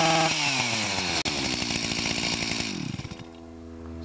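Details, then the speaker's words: Stihl MS 361 chainsaw, fairly new, warmed up, before ignition coil replacement: screams up but cuts out and stutters around 5,000 rpm, even under load, as the coil's built-in rev limiter misbehaves; faulty ignition module. "So, the coil does provide spark, but as I mentioned earlier, the rev limiter in the coil prevents it from revving where it should. Even when it's under load, it does the same thing."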